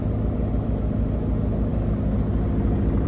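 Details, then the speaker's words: New Koenic KWM 8212 A INV inverter washing machine, empty cleaning run: a low, smooth, even drum rumble at steady speed with no knocking. A normal, quiet spin, inaudible across a 50 m² flat; only the lid is noisy. "Sonst der Schleudergang ist super leise. Ich habe eine 50 m² Wohnung und habe es nicht gehört, aber der Deckel ist nicht gut."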